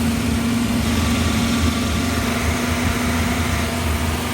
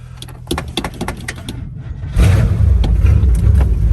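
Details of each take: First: 1955 Chevy V8, after reviving and checking timing with vacuum advance hooked up: low, steady idle with a slightly lumpy, uneven beat; an idle stumble remains, cause not pinned down. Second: 1955 Chevy Bel Air barn find, factory 265 V8 with 4-barrel power pack intake, started on booster cables: a few clicks, then catches and settles into a steady, even low rumble with no misses; holds idle, healthy.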